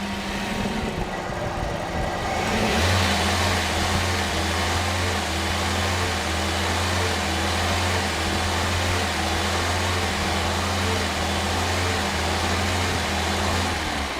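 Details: Toyota with a replacement engine, hard to restart after being switched off: revs rise and hang unevenly instead of settling into idle; surging idle. A history code is stored; owner suspects a dodgy coolant temperature sensor or wiring and is swapping the sensor.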